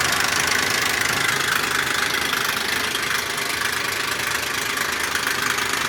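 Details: 2001 Ford Explorer Sport 4.0 SOHC V6 at idle: fast, fairly regular metallic rattle, about four a second, with low compression on all 3 right-hand cylinders. Owner suspects the rear RH timing chain or cam sprocket, unconfirmed.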